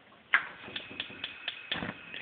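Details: DCS gas range model RGS-305SS-L after replacing the 5-point spark igniter module, fixing constant clicking; sharp spark ticks about four a second for a couple of seconds as the burner lights, then stop; normal igniter cycle.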